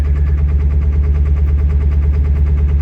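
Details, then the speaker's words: Ford 7.3 diesel pickup cold start on high idle after two days below freezing, unplugged, with about 10 gallons in the tank: a deep clatter about three beats a second with an uneven lope. Owner suspects gelled fuel. "Almost acts like the fuel's gelled up on it or something."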